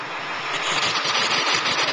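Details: 2001 Ford 7.3 diesel that came in as a no-start: even idle with steady clatter and hiss, no misses or knocks, running smooth.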